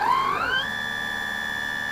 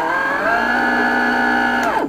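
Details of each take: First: Sensored Astro 3220 BLDC motor in delta with about 20-22 degrees electronic timing advance at maximum RPM: clean whine climbs quickly and holds one steady smooth tone, drawing about 4 A versus about 7 A uncorrected; normal running. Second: Sensored BLDC motor (Astro 3220) on a small controller with electronic timing correction switched off: harsh, strained multi-tone buzz, enormous current draw (about 7-8 A versus 4 A corrected), then winds down and fails; noise from uncorrected commutation timing.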